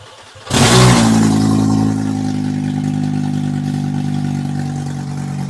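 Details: Mk2 VW GTI with swapped 07K 5-cylinder: fires up, flares, then settles to a slightly wavering, uneven idle. Rough idle; brake-cleaner spray found no vacuum leaks, cause unconfirmed.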